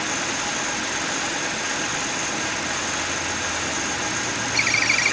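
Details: 2009 Buick LaCrosse, 3800 Series III V6, idling; steady high-pitched squeal and whir without knocks; bad water pump bearing.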